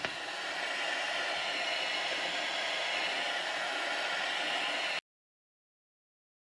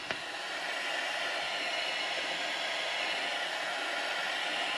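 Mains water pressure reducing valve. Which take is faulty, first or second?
second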